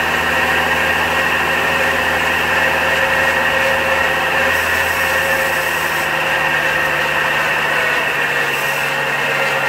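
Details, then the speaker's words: 2004 GMC Envoy XLT 4.2L inline-six, about 250,000 miles, cold start around mid-20s °F: steady idle with a constant high whirring, bearing-like whine, worse on cold mornings, source unknown. Tensioner and idler pulleys already replaced; oil pressure gauge also fluctuating. "I have yet to pinpoint a what sounds like a bearing noise in the engine compartment I have already replaced both pulleys the tensioner pulley and the idler pulley and the noise is still there particularly on cold mornings"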